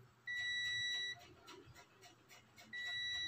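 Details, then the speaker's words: Mini speaker subwoofer with no power and no voltage at the capacitor: meter beeps continuity in both directions across the rectifier diode, suggesting it is possibly shorted; to be removed from the board to confirm. "Ayan mga boss, kung naririnig nyo, nagbabaser tong tester, reverse. So, ganun din mga boss, nagbabaser yung ating tester. So, posible, yung diode na yan ay shorted."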